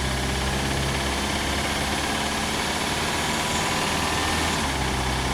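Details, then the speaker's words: 1991 Toyota Camry at idle, mic in the engine compartment with the hood closed: a dull, uneven tapping in rough engine clatter; owner unsure whether it is a bottom-end rod knock or a top-end valve noise. "This is my 1991 Toyota Camry which has developed an engine noise. The question today is is that engine noise on the bottom end like a rod knock or is a noise on the top end more in the valve area?"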